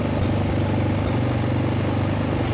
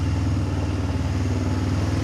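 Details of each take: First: Kazuma Falcon 150cc quad, about 10 years old, first start, fuel still leaking. A small single holds a fast, steady idle for about four seconds, then drops away. Idle is set very high on the screwdriver and the mixture needs adjusting. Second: Kazuma 150cc quad after a carburettor clean and a new battery, oil not yet changed: a steady, low, even putter at idle with no misses or knocks. It runs clean, possibly after the automatic choke turned off.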